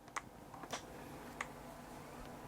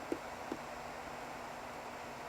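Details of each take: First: Apple PowerBook from a for-parts/not-working job lot (PowerBook G4 12-inch aluminium or G3 Pismo), power button pressed on charger: faint clicks then bright clean sustained startup chime, hard drive and optical drive spinning; normal startup. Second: Old Apple PowerBook from a for-parts box: trackpad button gives a faint click going down, then a soft second click about a second later when it finally springs back, a sticking mouse button.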